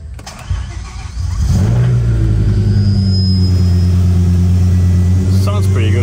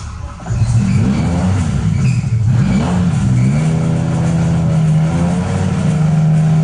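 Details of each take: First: Start and idle of a BMW E60 M5 V10 after installing VANOS solenoids and reassembly, engine not yet at operating oil and coolant temperature: cranks briefly, catches cleanly, settles into a steady, even idle with no stumble or miss; normal start and idle. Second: BMW M5 E60 V10 with a bought refurbished engine, idling after earlier power-steering pump noise was addressed: steady low droning hum, an entirely new noise that stops when the engine is shut off; owner fears the engine has failed.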